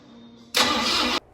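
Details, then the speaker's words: 1964 Ford F-100 with a 289 V8, unstarted for 17 to 18 years. The starter cranks briefly and the engine never fires; old gas had clogged the carburetor: crank, no start. "This truck does have a 289 motor in it, and it hasn't been started up in probably about 17 to 18 years. Kind of find out why it wasn't starting was there was old gas clogged up in the carburetor"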